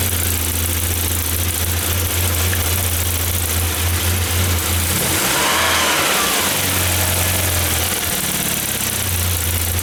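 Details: 1994 Saab 9000 non-turbo 5-speed, injectors rebuilt, vacuum leak plugged, new battery: idle holds then sags and hunts twice before settling, surging; data stream looks good, compression good, owner suspects throttle position sensor, unconfirmed.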